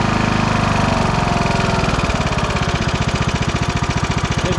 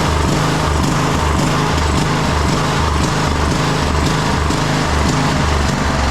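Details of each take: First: 2009 Craftsman YTS 3000 with a 21 hp Briggs & Stratton engine, right after heavy backfiring suddenly cleared: steady, even firing beat with no misses or pops; runs smoothly, though massive blow-by was seen afterwards. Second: 2009 Craftsman YTS 3000 lawn tractor with a 21hp Briggs & Stratton single-cylinder engine chugs unevenly, pulsing and stumbling near the end of a run, with heavy blowby noted; the owner suspects water in the fuel tank is causing the rough running.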